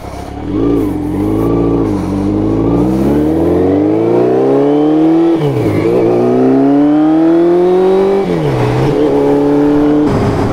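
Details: Honda CB750 brat-style four-cylinder, first ride out after carb tuning, recorded riding aboard: revs climb smoothly through each gear and drop cleanly on shifts, no stumble or popping; carbs well balanced.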